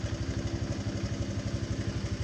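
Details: Honda Vario Techno 125 scooter after repairing a total electrical failure (no lights, no starter), covers refitted: even, steady putter at idle with regular low pulses and no knocks or misses; engine running normally.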